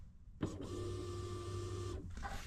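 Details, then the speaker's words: Kawasaki KRX1000 fuel pump powered directly by jumping its red/white 12 V feed wire for a fuel rail flow test: a steady, even electric whir at constant pitch for about a second and a half, then stops; running normally. "so we basically jumped that red and white wire which is the 12vt power to the fuel pump listen as we touch these together you can hear the fuel pump"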